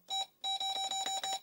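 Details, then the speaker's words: Apple II Plus with Videx 80-column card clone, PR#3 active: Ctrl-G console bell gives one short beep then a run of buzzy mid-high pulses; sounds different from the 40-column bell. "now i do notice something you might have noticed it as well notice the beep sound listen ctrl g"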